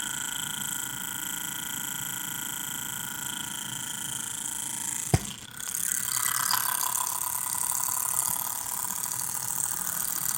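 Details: MSI GS30 laptop cooling fan, model PAAD07010SH N263: steady high fan whine with a fine, fast rattling buzz on top; probably a worn or loose fan.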